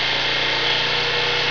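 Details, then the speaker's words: Small 750-watt generator running on wood gas from a gasifier, at normal wide-open speed before a 600-watt load test: steady buzzing note holding even and climbing slightly in rpm, no misses or knocks; healthy. "So that's about wide open as far as, you know, as the generator normally runs."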